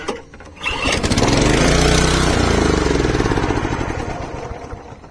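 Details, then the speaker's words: 32-year-old Honda HR214 lawnmower on full choke: pull-start catches, runs a few seconds at a fast, even beat, then dies; starts then stalls, owner suspects carburetor float bowl slow to fill, earlier suspected fuel filter. "still doing the same thing one more try yeah i think it's the carburetor because it takes a while for the float bowl to fill up and it runs very quick just a short burst"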